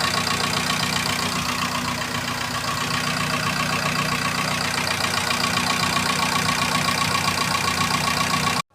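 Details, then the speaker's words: Fiat Doblo 1.8 16v petrol engine at idle: quick light ticking from the top end, about four ticks a second. Hydraulic lifter tick. "É, funcionei o bichão aqui, velho. Ficou com barulho em cima ainda."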